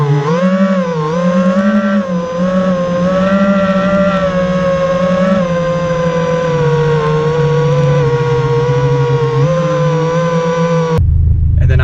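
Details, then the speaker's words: Quadcopter drone with two failing ESCs (motors and flight controller already swapped without effect): motor tones waver and wobble, rough and vibrating in the carbon frame under throttle, not making full power; failing speed controllers, not motors. "so I'm hoping that if anyone has a problem like this where they hear kind of like a weird sound vibrating in the carbon I would check either to make sure your motors are good"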